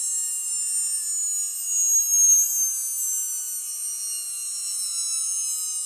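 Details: Atlas launcher gyro rotor on spin test, fed 115 V AC across terminals A and B via a 270 nF capacitor: a steady, shrill high whine with a couple of faint, slowly drifting tones and no knocks, very noisy at full speed.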